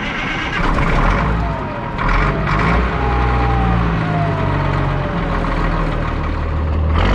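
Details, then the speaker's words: 1962 Peterbilt 351 with Caterpillar 1673 diesel after swapping to the correct Cat 1674 turbo and adding two stacks: deep steady rumble rising and settling with throttle blips, clean and even; normal running. "So you know what, I'm gonna do another startup on this thing because I can't wait to hear what it sounds like with both stacks."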